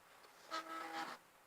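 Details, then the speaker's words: Old Philips PC with many parts missing, switched on with an old monitor attached. A brief horn-like tone of about half a second sounds at power-up, and blue lights flash. It is an odd start-up noise with its source not identified. "Bit of a weird noise that was."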